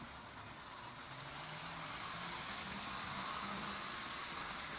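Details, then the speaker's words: Lionel 1957 postwar O27 train with thrown non-derailing switches: faint low buzz and light ticking as the non-derailing mechanism acts, normal, nothing wrong. "In case you have these O27 switches and it's thrown correctly and you hear it buzzing or clicking, that's just the non- derailing uh mechanism trying to put it the right way. It's nothing to worry about. It just does that. Nothing wrong with it."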